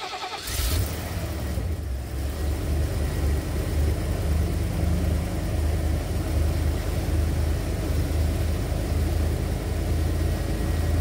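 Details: 1991 Ford Econoline E350 dual-tank van after in-place repair of a fuel tank selector valve stuck on rear tank; engine cranks, catches quickly and settles into a smooth, even low idle with no knocks or misses.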